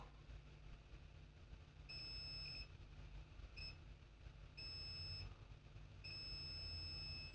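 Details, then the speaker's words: Acer Aspire 3 315-32 laptop motherboard, multimeter continuity test on power rail after removing a capacitor: steady high beep in long stretches each probe touch; rail still shorted to ground, more than one fault. "let's test for [Music] short and that's bed huh we still have short why let's check the capacitor that you took out so this capacitor is still good"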